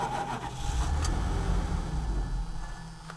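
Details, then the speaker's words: Wood-gas gasifier truck, blower running and valve shut: the engine catches with a few uneven low chuffs, tries to run, then fades and dies within seconds; starts then stalls, owner suspects air leaking in. "Starts up and then it dies. And that's with the blower running, valve shut."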